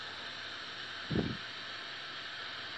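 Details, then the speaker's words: Chinese CRT TV after IC repair fixed a colour-tinted picture: picture now good, but the speaker gives only a constant flat hiss with no program sound, audio still faulty. "jadi suaranya ini masih dosis ya suaranya masih thesis gambar sudah bagus tapi sekarang masih dosis"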